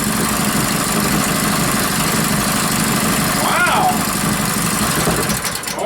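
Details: Rebuilt Powerfist single-cylinder petrol engine on first start after reassembly, cold day, choke on; quick, even putter at steady pitch, running cleanly.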